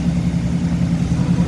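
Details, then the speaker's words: 1985 Chevrolet K20, after a new timing chain, water pump, aluminum crank pulley and alternator, timing not yet adjusted, not yet warmed up, choke partly closed: low uneven rumbling idle with a miss; cause unconfirmed. "I hear a miss. I hear a miss. A little bit of a mess."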